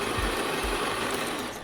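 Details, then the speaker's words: KRUPS coffee machine after leak repair with new piston seal, first test brew with beans: steady coarse grinding roar under two seconds, cuts off cleanly, then brews fine; normal grinder operation. "And you can hear the grinder, you can see there it's grinding the coffee beans"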